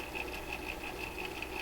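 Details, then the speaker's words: Seabreeze 968 tabletop record player with the platter on and a record playing: a steady whir with an even wump-wump thump about six times a second from motor vibration, which can carry through the platter to the needle and speakers. "I hear that wump, wump, wump, wump, wump coming out of this."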